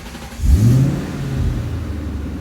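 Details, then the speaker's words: 2000 Ford Mustang with Cobra engine and Cobra electronics, intermittent no-start ignition problem, suspected anti-theft; after jiggling the key midway between off and on, engine catches with a quick rev and settles into a steady low rumble, starting and staying running. "stay running."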